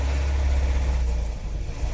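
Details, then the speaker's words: Petrol engine in long-sitting vehicle at idle: heavy uneven low rumble with dull internal knock; engine judged to need replacement, rod bearings or timing chains suspected, not confirmed. "let me try shutting it down let's take a listen yeah it's not them the motor's knocking so this thing's gonna need a motor"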